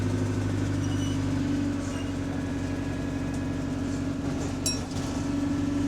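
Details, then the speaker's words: Diesel bus GAL 731 on route 126 at idle: a faint repetitive tick over the steady low drone, said to be heard at idle and to depend on throttle above idle. The cause is unknown. "731 what causes that tick noise you hear it on the ID yeah and then once the RPMs pass the uh the ideal RPM yeah it only becomes dependent on the thr level"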